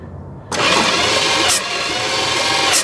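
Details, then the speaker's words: 1973 Dodge camper truck, sitting 25 years, thumb over a plug hole while cranking: sharp puff spitting back through the intake on one cylinder; intake popping while cranking, expected to free up once run. "See, it's squirting. It looks like it's coming back out through that intake."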